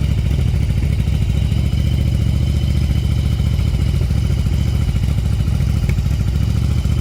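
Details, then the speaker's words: 1994 Yamaha Virago 750 V-twin chopper, warming up: fast uneven idle a little over 1,500 rpm with exhaust popping; intake vacuum leak causing high idle. "right now it's running a little over one and a half but as this warms up it's going to climb up probably over two grand"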